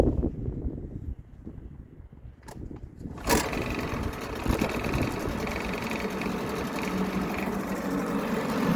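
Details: 1975 Mercury 7.5 hp long-shaft two-stroke outboard, Thunderbolt electronic ignition, 50:1 fuel, just serviced (impeller, water pump, carb cleaned, gear oil): fires first pull, settles into steady even idle, no misses. Normal start and idle.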